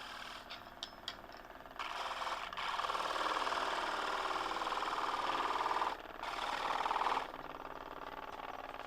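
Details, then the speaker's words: Wood lathe turning a thin shaft: the workpiece rattles with a fast chatter, bouncing back and forth against the edge of the jam chuck because of slight free play in the chuck. "I can already hear it rattling because there was that little bit of free play in that jam chuck. That's it bouncing back and forward, hitting the edge of that."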